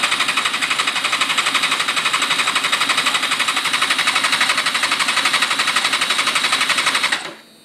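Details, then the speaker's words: 2005 GSXR 750 frame with 600 engine, turns over but won't start after missing: injectors pulled out, fast even ticking about four a second while cranking, all firing properly; fuel ruled out, spark suspected. "I've got the fuel injectors out pulled out and if you turn the engine over they all seem to be firing good"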